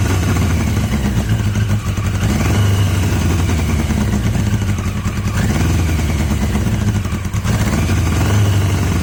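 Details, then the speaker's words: Yamaha XJ750 four-cylinder motorcycle brought back to life: lumpy, uneven low idle, running only on cylinders three and four; one and two not contributing despite spark on at least one. "got some noise when it runs it doesn't sound that unhealthy just getting it to run one and two running pot sorry three and four running"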